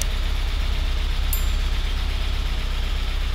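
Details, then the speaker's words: Porsche 944 S2 on its first start after over a year standing, oil pressure good: lumpy, chuggy, tractor-like idle of about four thuds a second, with ticking clatter from noisy lifters and injectors. The cause is unconfirmed; fresh fuel is planned. "With the engine now running, we could easily hear how noisy our lifters and injectors were, which isn't really ideal, but also it's not uncommon for how long this car has been standing."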